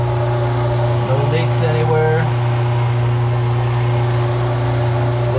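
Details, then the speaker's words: Newly installed, rewired switch-operated garbage disposal with water running: steady even low hum, no rattles or grinding; running smoothly, no sparks. "okay so we're running the water on the new garbage disposal and as you can see we're running real good"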